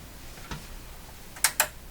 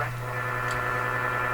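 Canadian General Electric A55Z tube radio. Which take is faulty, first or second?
first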